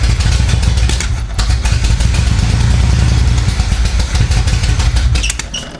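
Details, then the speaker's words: 1975 Chevy Monza 2+2 with 350 small-block V8 swap, sat about 20 years, fuel pump wire reconnected: loud, lumpy, uneven idle with irregular chuffing, seemingly running on only 4 cylinders; misfire, still untuned. "Seems like it's running on 4. All right, let me get this put back on, and then we'll fiddle fart with to get it running right, tuned right."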